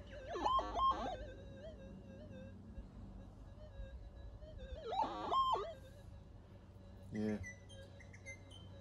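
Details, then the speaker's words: Minelab GPZ 7000 metal detector, unmodified, backyard test near power lines and domestic appliances after noise retune on auto: wavering wailing warbles over steady hum, 50 Hz harmonics swamping threshold, electromagnetic interference noise. "you listen to the noise the noise in the area listen to it it's absolutely horrendous"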